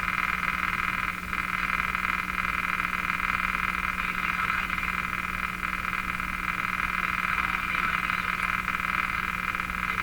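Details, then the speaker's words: Philco 49-501 Boomerang tube radio with weak output, run on a dim bulb tester; a steady pulsing croak about four times a second over a faint hum drowns the station. Radio interference noise. "it's too bad about that interference so I can't do anything about it I'm afraid"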